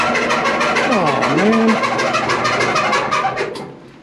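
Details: Whirlpool Cabrio WED7300DW0 electric dryer (used, steam refresh) running a load: thumping about three times a second with a rising and falling squeal, from worn drum rollers and broken plastic roller retainer clips; fixed with roller kit 349241T.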